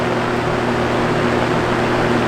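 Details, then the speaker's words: Vintage Toastmaster box fan running after startup: steady low electric hum with constant rushing air and no pitch change; the fan shakes quite a bit, cause not confirmed. "Well, it just has this hum on startup, so here it is. See the fan is shaking quite a bit."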